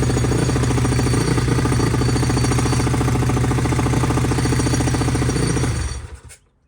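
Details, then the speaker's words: SSR YX140 pit bike first start after build: single-cylinder idles with loud fast metallic clatter from a loose bracket, then shuts off; fixed by tightening and zip-tying. "As you can see, guys, she started right up first kick, but she's rattling apart."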